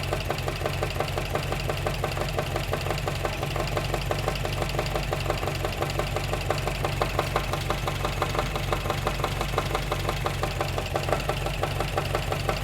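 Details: Engine ticking noise at idle on a 1954 MG TF, which the new owner only recently noticed: a steady, fairly even tick about three times a second over the idle; suspected top-end or valvetrain noise, cause unconfirmed.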